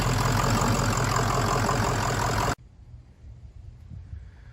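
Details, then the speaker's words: Newly installed Kill Devil Diesel 600HP 6.0 Powerstroke crate engine with Twisted Diesel Level 3 transmission in a Ford Excursion, first start after replacing a shorted engine harness: deep, even diesel clatter at steady idle, then clean shutoff; normal healthy idle. "Oh my goodness. Diesel, it's running. It's running, Diesel. It's running, big boy."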